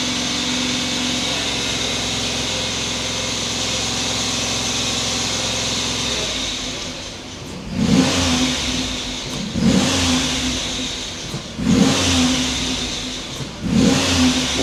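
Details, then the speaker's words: Freshly rebuilt 2006 LS4 5.3 V8 in a Monte Carlo SS held at about 2000 rpm warming up after first start, short squealing chirps about every two seconds from a slipping, dirty accessory belt. "yeah that noise is a that's a belt noise going on in there"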